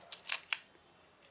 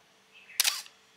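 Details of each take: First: Canon AE-1 film camera after oiling its mechanism with sewing machine oil: crisp, dry shutter and advance clicks with the earlier squeak gone. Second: Canon AA1 camera: a sharp shutter click followed right away by a short, thin squeak from the dry advance mechanism; to be oiled with sewing machine oil. Dry advance mechanism squeak.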